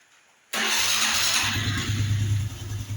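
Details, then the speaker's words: Honda Biz 110i after head removal, valve carbon cleaning and lapping (had low compression, wouldn't idle when cold): catches instantly and settles into a steady even idle without ticking or knocking; normal start and idle, problem fixed. "Agora o motor tá com um barulho original de fábrica, pessoal. A lenta aí funcionando direitinho, ó."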